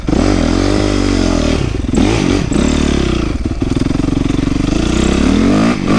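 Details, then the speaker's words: 2008 Yamaha YZ450F after oil change, chain adjustment, coolant flush, new exhaust clamp, carburetor cleaning, accelerator pump rebuild and valve clearance correction: crisp revs with no popping, much better throttle response, no radiator gurgling. "There's no more popping at all, so that problem was fixed. Also, the throttle response is way better"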